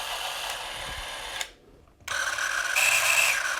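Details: Eumig 128 XL cine camera after maintenance, lens fungus removed and focus lubricated: light even motor whirring, stopping and restarting at a different frame rate (9, 18, 36 fps); runs smoothly and sounds healthy.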